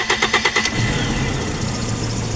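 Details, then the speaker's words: Toyota Kijang after converting ignition from breaker points to CDI distributor, first start: quick cranking, catches in under a second, smooth steady idle with no backfiring or popping; engine feels lighter and more powerful. "Jadi mesin terlihat bertenaga enteng. Jadi kita tinggal tes bersannya. Oke, untuk tenaga sangat jos dan tidak ada suara nembak-nembak bahkan suara cascaran ya."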